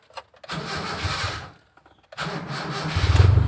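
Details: Brisk, even cranking with the battery at 12.6 V resting (dipping to 11.6 V during cranking) ends with the engine firing promptly and running smoothly, with charging voltage rising and no warning light; battery and starter healthy.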